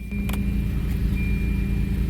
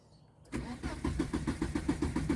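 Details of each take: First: Volvo work truck restarted after a stall, owner unsure if relay or fuel pump: steady, even low hum, no knocks or misses; normal idle. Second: Volvo work truck cranks steadily for about four seconds without catching, and no fuel pump whine comes from under the seat; a crank, no start with the fuel pump not running.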